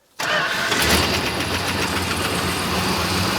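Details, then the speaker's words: 1969 Dodge Charger (General Lee) start after sitting abandoned for many years, no coolant yet: engine catches quickly and settles into an even, steady run with no misfire or stumble; normal running, much better than earlier tries. "that's a little better yeah much much better"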